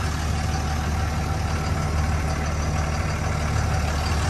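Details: 2003 Dodge Ram 2500 Sport 4x4, 5.9 Cummins common-rail diesel, automatic, 85,668 miles, one owner, started up: steady even diesel clatter at idle with deep rumble, no misses or knocks; healthy idle.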